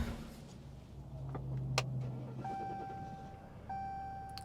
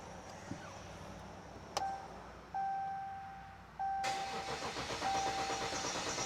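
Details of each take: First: 2014 Ram 1500 EcoDiesel with extended-crank complaint, restarted after sitting following a drive: short crank catches almost at once, settling into steady diesel idle with dash chimes; normal quick start. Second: 2014 Ram 1500 EcoDiesel after priming air out: several seconds of slow uneven cranking with chime before catching; extended crank, possibly air still in system.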